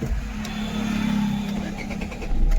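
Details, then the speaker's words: Suzuki Swift Dzire with a clicking self-starter, after the mechanic's fitted unit was removed: engine turns over and catches promptly, settling into a steady low hum with no clicking; normal start after repair. "सकते हैं अपनी भन्नी से start हो रही। तो final भाई अपना काम हो गया।"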